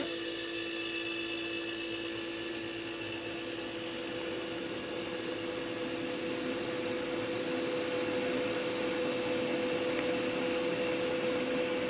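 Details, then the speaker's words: 1975 Westinghouse Custom 20 dehumidifier with a bent, broken fan blade: an even motor hum with a steady mid-pitched tone and airy fan rush, no rattles or squeals; when switched off the compressor cuts and only the fan motor keeps running. "let's jump when you turn it off that's just the fan motor the compressors of course just cut"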